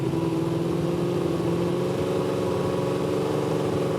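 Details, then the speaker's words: 1967 Pontiac Firebird 540 V8 with Holley Dominator carb, about 6 miles into road trip, overheating and leaking oil; running dead lean because carb was rejetted with small 70 jets for a broken motor. Uneven, hunting low-speed burble. "So, drove about 6 miles, but it's leaking oil everywhere, and it's dead lean because we rejetted the carburetor for a broken motor the other day."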